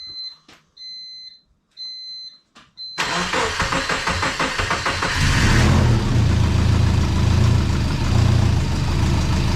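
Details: Twin turbo compound-turbo Subaru Forester, first start after refitting the compound system with coolant and oil feeds connected; cranks, catches and settles into a steady even idle, a little smoke; wastegate later found untightened and exhaust leaks fixed.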